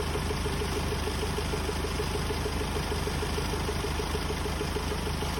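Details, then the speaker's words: Hyundai Starex D4CB diesel, fully hot, idling: steady even low clatter with no knocking or ticking, only slight smoke and a little oil spatter, judged normal. "Normal lang ito mga boss kapag mainit na ang makina."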